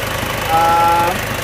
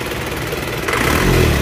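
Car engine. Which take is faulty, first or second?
second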